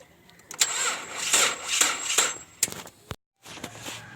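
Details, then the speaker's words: Nissan Wingroad restarted after replacing the cam and crank sensor wiring to the ECU, which had caused no injector pulse or coil signal: a couple of seconds of cranking, then it catches into a quiet, steady idle; starts cleanly. "ठीक है दोस्तों, बिल्कुल ओके।"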